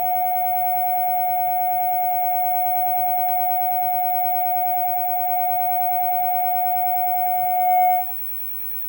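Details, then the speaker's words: Fenton Weill Bass 15 valve amp, capacitor temporarily bridged: clean, steady signal-generator tone for eight seconds without crackle, hum or dropouts, then cuts off; amp working, though tone controls don't work. "okay the amp sounds let's switch it off just go over a few things okay that sounded uh pretty good actually"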